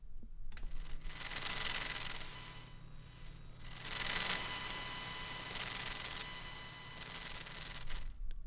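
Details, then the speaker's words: PC with Gigabyte Z390 UD, MSI RX 580 and Quadro K600, picked up by a Shure SM58 held near the computer: thin high whine with buzzy tones shifting as windows or mouse move, over low steady hum; cause unclear. "but the sound changes when i start moving windows so i'll demonstrate you'll see it with the visual it should be synced up"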